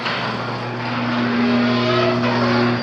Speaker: no it's not supposed to sound like that when you come home at night everybody and the whole block shouldn't everybody should know that you're coming and going it should be quiet